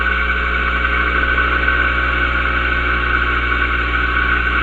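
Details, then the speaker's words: Compressor electric motor after swapping start winding wires to reverse rotation, slow to get going from weak start coil, bearing tightness adjusted; then steady even hum with constant high tone, no knocks or dragging; normal running. "Now you hear it starting to speed up. There we have it. See how that works now running."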